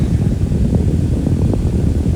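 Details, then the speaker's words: Small fan motor at full power with the cover off, after oiling only the dry front bearing: a steady, smooth low hum with no squeal. The bearing noise is fixed. "happy again so all you need was some oil in the front bearing not the back if it was if that was the case with the back bearing it would still be speaking the back bearing is never really the problem it's always the front"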